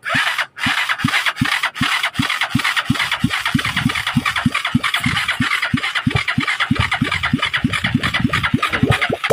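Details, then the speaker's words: Motorstar 200 single-cylinder motorcycle with hard starting, lack of power and misfiring, before carburetor cleaning: slow, uneven thumps drifting about two to four per second, as if about to stall even at raised idle; unstable idle. "kahit mataas ng Menor Parang mamamatay pa rin siya mamatay pa rin hinahabol pa rin hinahabol pa rin parang na-low down po yung Menor"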